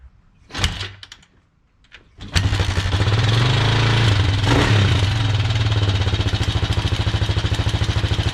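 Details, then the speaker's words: Kawasaki Mojave 250 single-cylinder first started after sitting two years: idles with a quick, even ticking over the exhaust beat; owner suspects a loose timing chain and plans to tighten it; cause not confirmed. "I don't know if you could hear that ticking, but it sounded to me like the timing chain."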